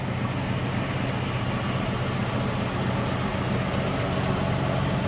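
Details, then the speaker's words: 1967 Mustang, hood up, restarted two years after being revived from 22 years sitting: even, steady low rumble at idle with no knocks or misses; idling smoothly and healthy. "let's listen to her tell you two years ago just hearing that engine run again after 22 years it was like music to my ears running out pretty good"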